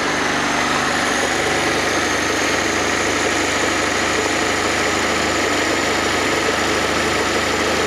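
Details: Fiat Panda 4x4 Sisley, FIRE engine, first start after water pump replacement, cold on manual choke (half then more): steady even idle with smooth hum, no knocks, ticks or hunting; normal cold idle.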